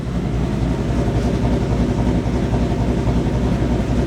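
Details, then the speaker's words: 2023 Ford Mustang switched to E85, stock headers and stock exhaust, exhaust valves fully open, high idle coming down from 1000 rpm: loping, choppy, uneven idle that sounds like a misfire, yet fairly quiet; rough idle. "Honestly, I don't know if I like it with the stock headers. It sounds like it's misfiring."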